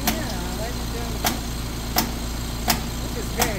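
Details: Trane A/C unit that struggles to kick on during its start cycles: sharp pops about every 0.7 seconds over a steady running hum, eventually working itself out; source not pinned down.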